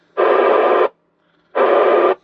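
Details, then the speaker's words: Optima MkIII radio receiver after squelch fault repair: hiss opens sharply and cuts off cleanly twice with silence between; squelch opening and closing normally, working fine. "As you can hear, it's working just fine."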